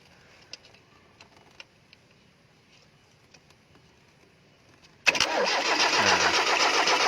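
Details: Timor SOHC crank, no start: the starter spins the engine in an even rapid churn but it never fires; a spark test shows the coil and distributor give spark, so ignition appears normal.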